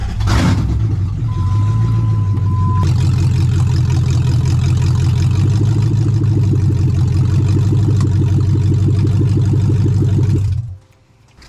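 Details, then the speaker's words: Lexus V8 with A341E gearbox in a Jeep KJ build, run with no exhaust fitted while testing for a reverse-selection fault: deep, very loud, raw burble with steady pulsing beat and faint whine, then shutdown. "so i'll start it up it's going to be quite loud there's no exhaust on this"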